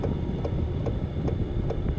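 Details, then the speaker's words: Chinese Sirocco/Webasto-type diesel air heater installed in an Opel Vivaro van, running at its lowest setting P0.1 (slowest fan and pump frequency). Soft regular fuel pump ticks about every 0.4 s over a low fan rumble; normal operation. "Maintenant je l'allume, regarde je veux qu'il aille au minimum, P 0,1, ça veut dire que c'est la fréquence de ventilation la plus basse et on entend aussi la pompe, la plus lente fréquence de la pompe."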